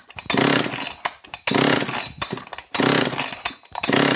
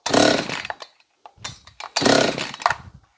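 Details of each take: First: John Deere CS56 chainsaw (possibly an Oleomac 956/FCO 156), choke engaged, compression check: five strong, even recoil pulls about a second apart, then quieter rattles; gauge reads 135 psi, healthy compression, and it had already fired. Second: John Deere CS56 chainsaw, kill switch disconnected, fired on primer fuel: short ragged bursts that catch and die, running rough; compression release suspected stuck but found not stuck, if anything stuck closed.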